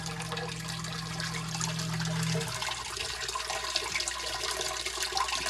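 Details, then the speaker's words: Crawl-space sump pump in Chicago after the old check valve was replaced with a quiet check valve: pump hum runs steady then cuts off, water settles, and no bang follows; banging at cycle end is fixed. "it's not doing any noise any pom pom pom that fixed the problem 100 let's wait for another cycle"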